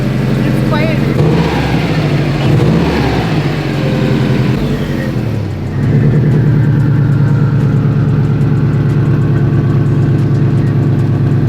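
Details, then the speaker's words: Subaru WRX idling after its exhaust leak was fixed with a new pipe: a few throttle blips settle into a steady, even, low smooth rumble with no ticking or puffing; normal idle. "Fire it up real quick. Let's see how she sounds. Maybe it's gonna sound... Well, with the exhaust leak fixed."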